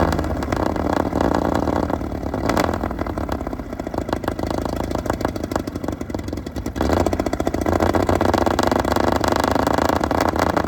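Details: Restored 1935 Stancraft, oldest known example, inboard six-cylinder run on land via motor flush: deep, loud roar holding steady with small swells in pitch, strong even firing; normal healthy running.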